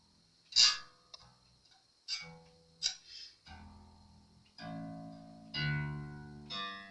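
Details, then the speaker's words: Jazz Bass after refret, fret leveling and neck reset, freshly restrung with strings still stretching, during final setup with no high frets: plucked notes ring clean and sustain evenly, no rattle; no fret buzz. "we have no buzzing it's all tuned up things are stretching still"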